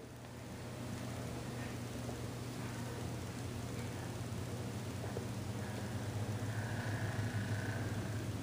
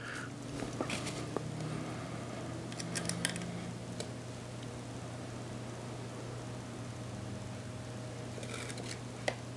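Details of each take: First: Lenco L75 turntable motor hums with a rough, gritty grind from an overtightened nose plunger screw. The grinding stops when the screw is backed off, which is the correct setting. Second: Lenco L75 turntable motor after adjusting the nose plunger screw and backing it off until the grinding stops. Faint steady low hum with light handling clicks; it runs almost silently.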